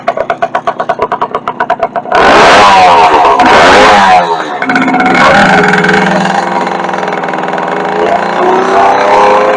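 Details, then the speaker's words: 1964 Suzuki K11 two-stroke after carburetor rebuild, cables not yet adjusted, running without exhaust baffle, muffler found loaded with oil: loud, crisp popping revving up and settling cleanly into even idle; runs fine. "So I did try it a little bit earlier and it runs fine. Seems like it anyway. Doesn't have a baffle in it right now."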